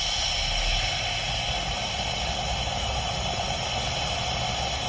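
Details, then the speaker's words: Kancil with brake fluid loss: steady loud hiss over low engine rumble when the brake pedal is pressed, from a leaking brake booster drawing brake fluid into the intake; booster and master pump replaced. "Dan kebiasaannya kalau break booster ni dia sudah mulai bermasalah apabila kita pijak brek kita, kita boleh dengarlah dekat situ ada bunyi berdesing."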